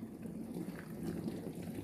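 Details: LG dishwasher after repair of the main control board for an IE (inlet) error: steady rushing and gurgling of water filling the tub, even and uninterrupted; inlet flowing, normal water fill.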